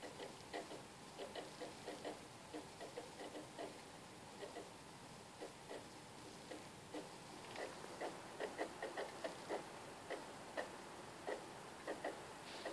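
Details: PlayStation 3 console: quiet, irregular scratchy ticking a few times per second over a faint steady whir; the drive or fan mechanism is suspected.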